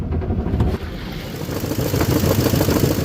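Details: 2004 Chevy Tahoe V8, idled and lightly revved: a rough, uneven knocking runs through the low rumble; the owner wonders whether it is rod knock or a broken flexplate, cause not confirmed.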